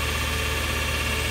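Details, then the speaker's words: Lathe spindle at 3,000 RPM wide open on new V-belt setup, VFD at 150 Hz, about 1.5:1 pulley ratio; steady even hum, no squeal, whine or flutter, previous belt's squeaking gone. Normal running. "I mean, before you could hear the other one squeaking. This thing is quiet as a church mouse."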